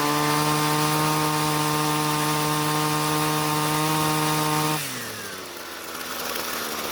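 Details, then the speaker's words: Jonsered two-stroke string trimmer, hot, after leaning the carburetor L screw clockwise under a quarter turn: steady high-speed buzz dropping smoothly to an even idle without stumbling; normal running after restart, starts much easier. "so well it definitely started up much easier but let's try that one more time just to make sure"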